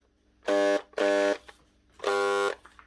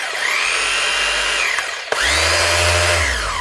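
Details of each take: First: 2011 Makita HR2811F SDS hammer drill before repair: three short bursts of harsh buzzing hum on trigger pulls, motor never spinning up; burnt-out motor armature, fixed by replacing the armature. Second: Makita HR2811F SDS hammer drill (2011) after replacing burnt-out motor armature and brushes, cleaning and greasing: several bench runs spinning up quickly to a clean, even whine and winding down smoothly; healthy.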